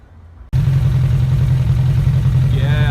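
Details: 2001 Suzuki Bandit 1200S four-cylinder after carb sync with a vacuum gauge kit: catches and settles into a steady, even burble with no misses or hunting; healthy, balanced idle that sounds mean now.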